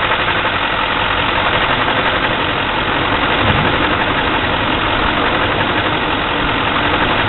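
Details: 2004 6.6 L diesel: rough idle with an uneven, lumpy rhythm and irregular clatter at about three beats a second, steady throughout.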